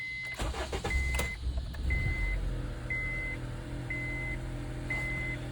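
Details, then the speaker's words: 2011 Honda CR-V after replacing evap purge valve solenoid and vacuum canister solenoid (codes P145C, P0496, stalling after refuel, rough idle): smooth steady idle with chime beeping about once a second, no stumbling; running fine. "At the moment, it's running just fine."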